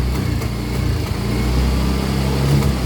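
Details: Yamaha Mio i125 scooter, hard starting, idling: low, uneven, shaky idle with stumbling beats; misfiring, suspected dirty throttle body, to be cleaned.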